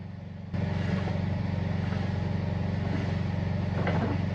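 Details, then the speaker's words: Vintage Australian Howard V-twin engine, running before teardown: low, lumpy with an uneven clatter about three times a second over the firing beat. Owner suspects worn pistons, gudgeon pin or big end bearings, leaning toward big end. "Is either the pistons are worn out, or the gudgeon pin bearings are worn out, or the big end bearings are worn out. It sort of sounds like big end to me."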